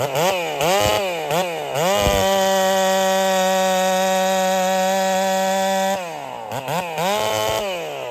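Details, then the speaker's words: Holtzfforma 372 chainsaw with big bore kit, heavy porting and advanced ignition timing: blips, one steady high scream, then falls back with popping. It won't rev out well; owner suspects timing too far advanced. "all right so I wasn't happy there uh she had this little popping thing going on she doesn't want to rev out really well"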